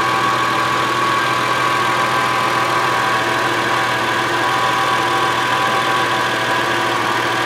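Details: 2002 Subaru Outback L.L.Bean: even, steady idle with a smooth hum and no rattling or tapping; engine and exhaust sound normal.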